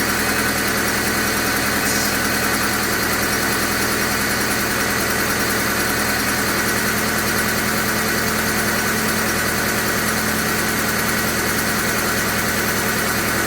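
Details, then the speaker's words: 2001 Honda Civic LX after condenser motor, alternator, coil pack and cam cover cap replacement: steady, even warm idle hum with a constant hiss, no knocks, misses or surging, no engine lights; normal idle. "[Music] wow foreign supposed to sound like that I don't have any engine lights"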